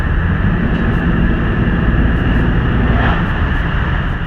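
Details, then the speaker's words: 1961 Buick rebuilt with a used replacement engine after fire and crash, driving on the road: strong steady low rumble, no knocks or misses, peppy, transmission shifting smooth; never run better. "oh yeah rod's like a champ it's peppy it's got some get up and go it's never run better than this it even sounds good it almost sounds like a truck now i've never even heard it that sounds so good"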